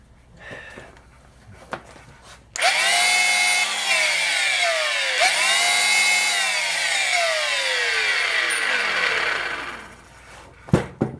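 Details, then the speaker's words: Flea-market power tool at the trigger: loud, harsh, gritty whine climbing on spin-up and sagging on slowdown; owner suspects bad bearings and plans to replace a bearing or two, regrease the front and put on a new cord. "oh that sounds horrible loud nasty bearing noises and that thing that's going to need some attention that's so loud that I think we don't want to put hearing protection on before I hold that trigger"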